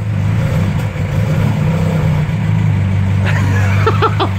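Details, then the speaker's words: 2.0 Ford Pinto SOHC engine in a Mk3 Ford Capri, first start after six months unused following an oil prime, fires straight up on the key; steady, even low idle rumble with no knocks, misses or rattles, healthy. "six months this thing hasn't run for and you hit the key boom fire straight up"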